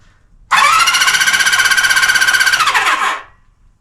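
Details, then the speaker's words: 1974 Honda CB350F, plugs out, carbs off, starter test: fast, even cranking about four pulses a second with no dragging or slowing. Starter spins the engine properly. "Good news. Cranks the engine over. Doesn't crank it over slow. So, that's a good sign because, you know, I had to have the plugs out."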